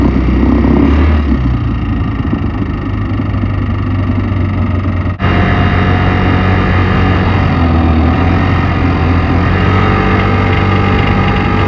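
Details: Piaggio X9 500 maxi scooter engine noise, timing chain or tensioner suspected; steady idle with a loose uneven rattle about four times a second on top; source unconfirmed; engine rattle.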